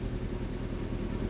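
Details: Old car battery of about five years, revived with a Noco Genius 5 desulfator after sitting 24 hours, restarts an Audi; quiet, smooth idle with even low rumble, no stumbling or ticking, engine healthy after starting.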